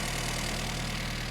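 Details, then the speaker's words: 1975 Mini Clubman estate with an engine stored 12 years, after firing order correction: steady low even idle with regular firing beat and no knocks; runs acceptably but still needs tuning. "that's not bad is it now it's gonna need a bit of tuning"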